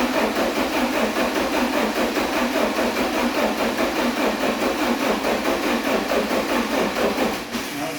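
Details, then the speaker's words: 1986 Porsche 944 base manual, unused for at least 10 years, cranking by key after alarm relay bypass: starter turns steadily but never fires; no power reaching the coil, so no spark. "not getting any power to the coil. So that'll be the next thing to figure out."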